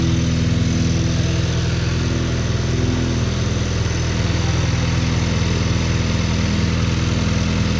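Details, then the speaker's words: Cold idle of a 2023 VW DLB engine, rebuilt at 23k km, after an oil and filter change, with the air conditioning switched off. Idle sits slightly high and steady, with an even, smooth beat and no knocks or misses; healthy engine. "let's start it to hear it I'm waiting Mr Derek whenever you're ready fire up please it's a cold start"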